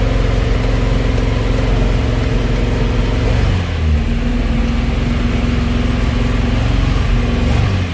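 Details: 1971 Alfa Romeo 1750 GTV, manual, cold start: a fast, steady idle with even firing and a brief dip partway through. The idle is high because the engine is cold and is going down; it may need adjustment.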